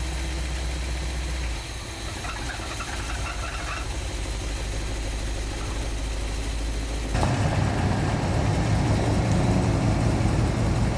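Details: 1986 Chevy G20 van V8, warm at idle after sitting 5 years, charging 13.65 volts: steady low rumble with a faint regular puff-tick about 2.5 times a second; exhaust leak on one side suspected, manifold gaskets planned.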